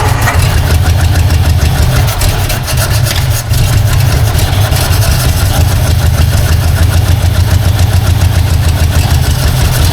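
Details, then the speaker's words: 1952 Ford Crestline engine revived after years sitting, carburetor needing work, vacuum advance line taped: loud, lumpy idle not running on all cylinders; owner suspects another vacuum leak, possibly at the wiper vacuum line. "it's not quite running on all though definitely something going on there"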